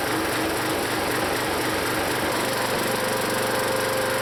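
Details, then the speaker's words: Used log splitter's small single-cylinder engine, long known as rough, before Seafoam: lumpy, irregular beat at steady speed, labouring under hydraulic load; rough running under load, cause not pinned down. "that always was a rough engine so I want to drop some seafoam in there and see if it does any better now I don't get why I think you hear the engine bog when I pull that piston back to that point"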